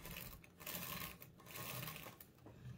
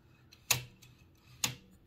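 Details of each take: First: Toshiba BW-3112 Japanese kanji typewriter after restoration adjustments and cleaning: light irregular clicks with soft whirring as the character selector slews, no dragging; earlier excessive friction gone, selection now smooth. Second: Toshiba BW-3112 Japanese kanji typewriter carriage with a truncated nail blocking the bearing cage: two sharp metallic clicks as the cage is forced to slide right, demonstrating cage creep that causes carriage resistance.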